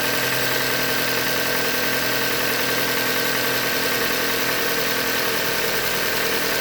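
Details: 2015 Hyundai Elantra Limited, 91,000 km, idling with no load: quick, light knocking over a busy idle, bottom-end knock from short block failure, a Hyundai manufacturing defect.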